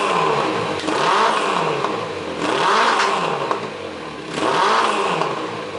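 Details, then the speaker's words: Suzuki GS850 after carb tuning (new slide needles shimmed with spacer, pilot screws turned out), warmed up: three clean throttle blips, revs rise and fall smoothly without stumbling or popping; revs out much better, normal revving before carb sync. "yeah it revs out a lot better"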